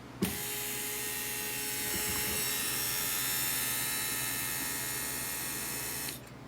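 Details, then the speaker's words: 2002 Volvo XC70 with a new brake vacuum pump and switch, ignition on, brake pedal pressed: steady electric whirr for about six seconds that shuts off cleanly once vacuum builds. Normal vacuum pump and switch operation. "It's shutting off correctly. Vacuum is being built."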